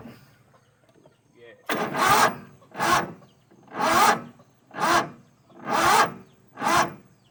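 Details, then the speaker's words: Toro Wheel Horse 266-H mower, 26 hp Kohler V-twin with new fuel filter, pump and apparently new carburetor, primed: about one heavy, dragging turn per second, no catch; slow labored cranking, starter suspected, cause not confirmed. "Alright, so something ain't right. Probably that darn starter."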